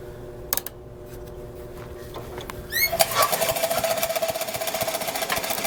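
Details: Troy-Bilt chipper shredder model 24A-414B711 test run after a new carburetor fuel line fitting, an oil change and recoil oiling; engine catches and settles into a fast, steady chatter. Normal running.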